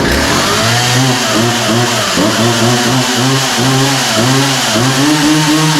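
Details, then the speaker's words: Poulan 2150 chainsaw after the pull rope was reinstalled: crisp rev-ups that return cleanly to a steady idle, no bogging; runs well without carb adjustment, and the chain is oiling. "so that sounds really good uh kind of right out of the box um yeah doesn't sound like it needs any adjustment at all um seems to be running good"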